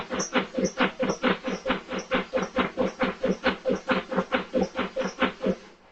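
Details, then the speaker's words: 2009 Subaru Outback at about -5°F, cold-start problem: starter cranks steadily, a bit over two turns per second, without firing, then stops; cranks but won't start in extreme cold, cause not confirmed. "It was cranking pretty good, but it didn't start. You might be able to hear it."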